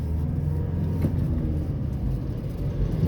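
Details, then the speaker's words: Diesel pickup with a manual gearbox, possibly a Toyota Revo, after the gear cover was replaced: low diesel rumble, then one dull clunk as third gear goes in; the gearbox still clunks on that shift, cause unknown. "เนี่ยผมเห็นผมเห็นทุกคนก็ใส่ประมาณนี้เนี่ยเกียร์3มันยังดังอยู่เหมือนเดิม"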